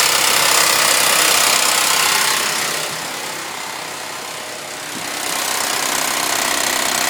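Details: Suzuki Vitara V6 idling: quick, steady metallic rattle about four times a second, a clattering front end. Owner says it is the timing chain.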